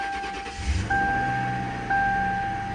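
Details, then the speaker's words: Ford Crown Victoria 4.6 L V8 with 612,000 miles: catches instantly and settles to a quiet, even idle under a steady once-a-second chime; normal start and idle. "look at that straight away what a wonderful thing only done 612,000 mil"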